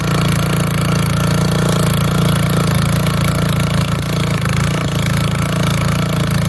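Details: Old auction-bought Montgomery Ward tiller tilling hard, packed dirt: a steady, even single-cylinder chug holds its beat as the tines dig. Healthy small engine pulling well under load.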